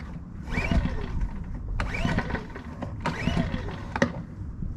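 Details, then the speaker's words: Champion 2000-watt generator (model 100478) after recoil starter replacement, fuel drained, choke on: three smooth pulls, each a rising then falling whir with no catching or slipping; won't start without fuel but recoil pulls as it should. "no fuel but everything sounds like it should and pulls like it should so all we'll have to do is fuel that up and we're done"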